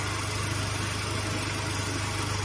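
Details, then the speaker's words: 2015 Mazda 3 after compressor service and recharge, engine idling with A/C running: smooth even hum, no compressor rattle or whine, quieter than the old compressor; front fan on about second or third speed. "المس صراحه امانه ما في صوت كبير يعني ليس مزعج نفس الكمبرسر القديم"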